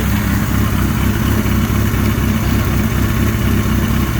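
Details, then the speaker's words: Suzuki GS1100E custom build, running on leftover gas to empty the carburetors after a cold start: a steady, even, low four-cylinder putter at idle with no ticking or knocking. Gasoline smell has an unknown source, the regulator rectifier runs cool, and timing might be improved. Normal idle. "she's just gotta love this there's no noise it sinks nice and wide nice and quiet engine"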